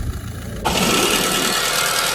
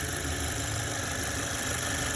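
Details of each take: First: Audi engine catches and settles to a busy idle with a sharp, fairly steady knock about four times a second; an example of engine knocking. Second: Audi B9 Q5, 12,000 miles, idling: smooth idle with light fast even ticking from the direct fuel injectors; normal, engine runs excellent.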